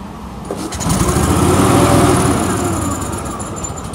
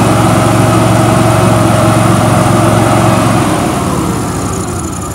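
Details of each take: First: Billy Goat quiet blower with Vanguard engine, sat for years without fuel, fuel cap missing; pull-started on starting fluid sprayed in the carburetor, fires and revs for a couple of seconds, then fades and dies: fuel starvation, runs only on starting fluid. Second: Billy Goat quiet blower with Vanguard engine, sat for years, run on starting fluid sprayed into the carburettor with fuel cap missing: steady, even single-cylinder drone with clean firing beat fading as it dies; engine sounds healthy.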